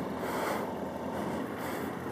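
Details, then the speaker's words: Yamaha FZ1 carbureted motorcycle after fixing leaky carb needle valves: starts at the button with no throttle and idles with a steady, even note, no stumbles or misses. "Oh watch this no throttle just hit the button look at that look at that oh my god it's never done that never ever ever ever ever ever done that"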